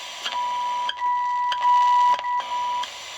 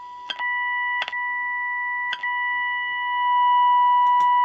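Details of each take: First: Unitra Eltra Alicja R-701 radio fed a 65.5 MHz signal-generator tone through a wire at the antenna, tuned to the end of the FM scale: thin tone around 1 kHz cutting in and out over hiss; weak detuned signal. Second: Unitra Eltra Alicja R-701 FM receiver fed a 65–73 MHz signal generator, strongest at 72.6 MHz near the band end: clean, steady test tone comes through strong with a few tuning clicks; alignment within tolerance though slightly off.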